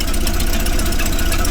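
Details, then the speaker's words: 1931 Plymouth fires right up after new plugs, gear oil and brake work, then holds an even, steady low idle with a regular beat and no misses or knocks; running good, normal idle. "There you have it. Fired right up and running good."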